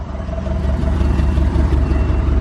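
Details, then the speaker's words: Porsche 944 big four-cylinder, sat for years, idling low around 500 rpm instead of 800–900 on old fuel, weak battery; uneven shaking idle, slight misfire, faint drone, bearing or balance shaft suspected, unconfirmed. "sounds like we're misfiring a little bit you can see it's shaking something I hear like some sound like a bearing or like the balance shaft in there is supposed to smooth this big four-cylinder out"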